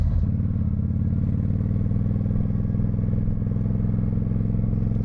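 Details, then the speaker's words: 1995 Honda VT1100 Shadow ACE V-twin riding with the choke off after sitting for years: a deep, steady idle with a hard, blatting exhaust note, far too loud; the muffler baffle appears welded in. "All right, choke is off now. Oh, that noise is ridiculous."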